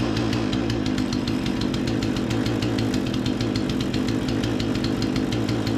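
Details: Remington 46cc chainsaw, low-speed screw turned about an eighth clockwise to lean a suspected rich mixture: steady even two-stroke buzz, crisp regular firing, no hunting or stumbling; seems dialed in; normal running.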